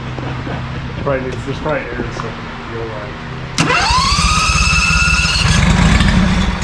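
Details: ZT200 mower with newly fitted replacement engine and new starter solenoid: starter cranks, engine catches, then runs ragged and uneven with surging, struggling to keep going; owner wonders if the throttle is hooked up wrong; cranks and stumbles.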